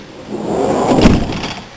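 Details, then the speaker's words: Auto-Sleeper Symbol campervan sliding door, hard to unlock despite oiling and greasing, must be slammed to shut; loud slam with loose rattling clatter each time, latch only catching when forced. "And that noise and this rattling each time I do it is really winding me up."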